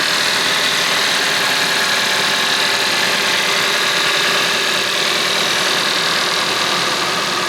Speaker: Let's try an engine cold start for both the Mercedes as well as the Toyota now. Take a listen to that unit purr. And listen to this little kitty purr right here.